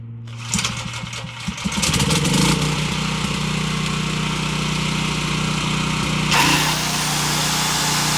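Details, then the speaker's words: Caterpillar generator that sat with bad gas, after cleaning the gelled-up carburetor and refitting the air filter: a few rough pulls, then catches and settles into a steady even hum with no misses or surging; normal running. "All right, sounds like it's running good."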